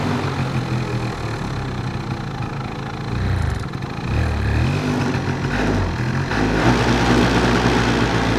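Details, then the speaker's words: Two-stroke scooter with a carburetor problem, choke fully off. Revs hang high and smeared and are slow to drop; it refuses to rev on throttle and pops. The cause is still being investigated, starting with the air filter. Lean mixture, bog and misfire. "Такой прям подвисающие обороты. Они высокие и такие как будто смазанные. То есть нет четкости работы двигателя. Вот видите, они увеличиваются. Вот сейчас характерно, смотрите, даю газу, а он не хочет газовать, взрывается как бы."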